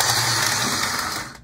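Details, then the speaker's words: HO-scale model locomotive motor running noisily, thin high buzzing whirr with faint steady squeal; the locomotive seems to slip, its traction tires needing replacement. "it is a noisy beast"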